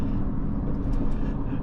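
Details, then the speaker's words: 2010 Honda CR-V at 40 mph after rear wheel hub and bearing replacement: steady low road rumble, no growl or hum rising with speed; rear bearing quiet, only front end-link noise remains. "This is fixed. I am 40 miles per hour now, and I don't hear that."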